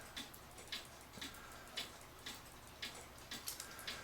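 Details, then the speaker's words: Citizen battery-powered cuckoo clock, jury-rigged movement held roughly level after not ticking; crisp light ticks at an even pace, running normally; movement likely needs cleaning, plastic gears possibly worn. "level the clock oops and it seems to keep ticking this way way most of the time like I said I don't have an exactly level or anything else it is ticking"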